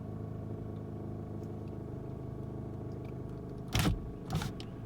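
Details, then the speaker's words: 2018 Nissan Sentra SV, 46,000 miles, stopped in drive with foot on brake: steady low idle drone with buzzy rattle or vibration, only when nearly or fully stopped, quiet on the highway; rattle at idle in drive, source unknown. "hit the brake completely stopped again and it's rattling"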